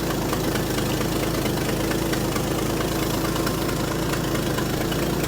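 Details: Ford bullnose truck 300 cu in inline six after swapping the one-barrel carburetor for a two-barrel: steady, even idle with smooth low rumble, no misses or knocks; normal idle, sounds far better than before.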